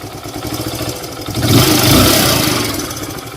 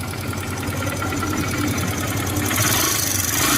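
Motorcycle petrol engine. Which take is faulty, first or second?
second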